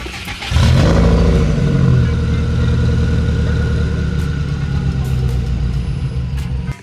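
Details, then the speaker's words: Subaru WRX after the exhaust was shimmied back onto its slipped hanger: starts on the first crank, flares briefly and settles into a deep, steady idle with no rattle or tinny buzz. Normal exhaust note after the fix. "Now after that, I feel like the exhaust is back to sounding good."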